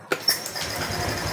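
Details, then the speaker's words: Honda Vario Techno 125 that stalled with the injection light blinking 52 times, started after reconnecting the CKP sensor wiring: short starter whir, catches at once and settles into steady even idle, light no longer blinking; normal start. "teman-teman dan motor langsung juga bisa nyala oke teman-teman motor sudah kembali hidup dan menyala"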